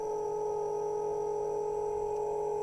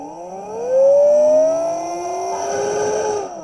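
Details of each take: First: Small motor on a half-bridge motor controller bench setup, just started at low speed: steady, even mid-pitched whine with higher overtone, no wavering; spinning smoothly. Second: Half-bridge motor controller on bench supply, current read on return line, idle 0.04 A; motor whine climbs in pitch as potentiometer winds speed up, then cuts out abruptly when too much power is drawn and the supply trips on overcurrent.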